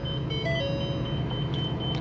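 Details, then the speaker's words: 2021 Sunseeker Classic 3010 DS Class C RV, 12,178 miles, at idle; a steady high electronic chime over the low engine idle warns that the parking brake is engaged. "it's now yelling at me about the parking brake is engaged I know I"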